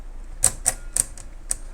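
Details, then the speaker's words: Princess 300 typewriter with carriage removed: about six sharp scraping clacks in two seconds as the carriage shifts, caused by the bell-ringing lever fouling the frame bar. "okay so I've found the bit that fouls and what's happening is this kind of lever that dings the the Bell here"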